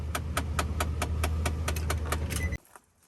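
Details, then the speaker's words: 2008 Nissan Titan at key-on idle: steady light clicking about three times a second from behind the glove box, stopping when key is off; caused by the fresh-air cabin filter door. "so that clicking noise we just heard is coming from behind your glove box it's the uh fresh air filter"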